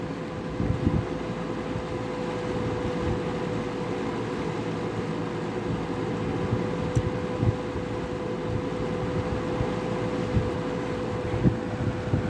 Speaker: You go to medium. Now medium runs pretty good. Can kind of hear the motor whine.